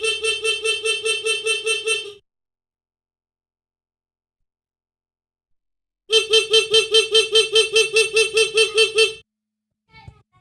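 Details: Motorcycle horn wired through an adjustable custom turn-signal flasher relay (right slower, left faster): bright note chopped into quick even beeps about 2.5 per second with gaps between bursts; pulsing as intended.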